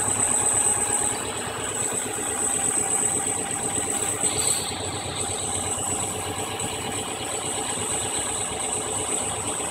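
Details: Subaru EJ22 petrol engine idling rough with an uneven, lumpy beat; the MAF sensor had a bad connection, and pressing the MAF housing restored a smooth idle. Fixed by replacing the sensor.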